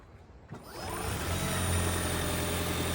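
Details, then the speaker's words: 2017 Ford Fusion Hybrid, 103,000 miles, HF35 transmission, after replacement for a failed stator bearing, warmed up: engine fires and settles into a steady, even hum with no squeal or whine; sounds healthy. "Much better. So that is the car running. No more crazy squealing."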